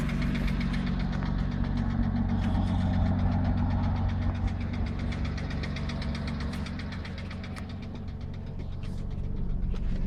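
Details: 2006 Porsche Cayman S idling after oil change removing sludge and collapsed filter following low oil pressure warning: loud, sharp ticking about four per second following engine speed; oil additive didn't help, lifters suspected, replacement planned.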